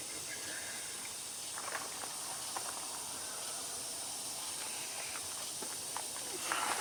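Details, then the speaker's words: Volvo truck during a preventive maintenance inspection: a constant, high airy hiss with no rhythm and independent of the engine, an air leak at a line fitting. "Sounds like we got a little bit of an air leak"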